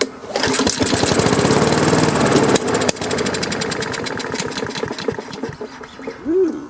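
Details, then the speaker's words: Free Craftsman self-propelled push mower started on choke without starter fluid catches with a sharp pop and runs uneven and rough; the removed plug is very dark, and it is then replaced with a new gapped plug. Backfire on starting, fouled spark plug. "backfire. Okay, well, it is running. I'm going to take the spark plug out and see what that looks like. Wow, look how dark that is."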